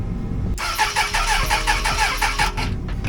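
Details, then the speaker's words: 1996 Suzuki Bandit GSF600S motorcycle after sitting four months, first start attempt in neutral, clutch in, on choke: starter drags the engine in sluggish uneven pulses about three a second without firing; battery needs a charge. "needs a charge. Yeah, just a little."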